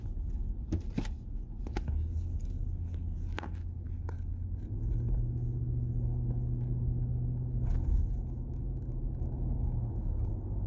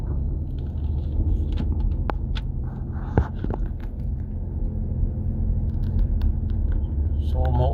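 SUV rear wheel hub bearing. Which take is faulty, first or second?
second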